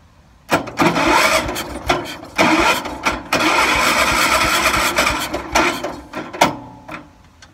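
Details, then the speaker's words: 1978 IH Cub Cadet 1000 tractor sat 20 years, starter jumped at the solenoid: bursts of fast even starter whirring with pauses; starter is good, but the battery might be a little low. "so the starter is good it just doesn't have any juice now"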